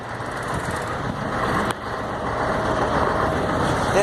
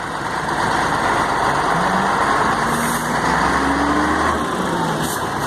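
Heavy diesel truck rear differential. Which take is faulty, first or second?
second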